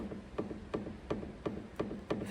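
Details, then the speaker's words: BMW 730Ld long-wheelbase on a ramp, with a knock when driving over bumps: six sharp, hollow knocks, about three a second, as the anti-roll bar drop link to the shock absorber is shaken; its internal joint is worn. The other side is fine. "they knock and this side's fine but this side can you hear that so all that is is inside here the joint is now just worn"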